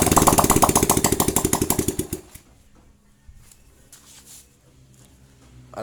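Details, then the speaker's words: Honda Supra-family 100cc single-cylinder (Fit/Grand/Legenda) that was hard to start despite good spark, carb and fuel, now starts after cylinder head and carburetor refitted; quick even single-cylinder putter, fires and idles steadily, healthy normal idle. "mesinnya sudah bisa hidup kembali ya para brader semua"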